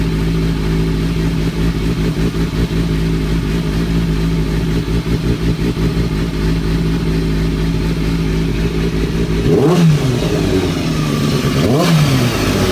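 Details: 2003-2004 Kawasaki ZX-6R 636; uneven mechanical clatter over steady idle, swelling with two quick throttle blips; owner suspects timing gear, tensioner reset per manual changed nothing; abnormal engine noise, source unconfirmed.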